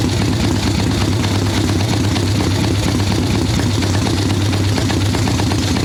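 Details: Harley ironhead Sportster XLCH chopper V-twin, Mikuni VM38 carb, idle tuning on fresh plugs, cold wet day: lazy, uneven lope with soft choked burble at idle, "a little boggy, she's not happy at all"; mixture too rich.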